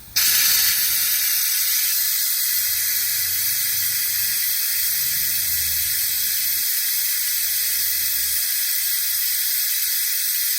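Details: Jeep YJ cooling system being vacuum-tested with a Harbor Freight venturi vacuum bleeder on shop air, aiming for about 25 inHg. Constant high-pitched air hiss with no sputter; the bleeder pulls vacuum normally, though vacuum later dropped, showing a leak.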